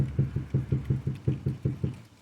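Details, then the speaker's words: 2002 Grand Marquis rear package tray rapped with knuckles on the metal after Killmat sound deadener install, speakers still out: short dull thuds about six a second, dying quickly with no ring; well damped, believed much quieter than before. "I don't remember how it sounded before, but I'm sure that was a lot worse than that."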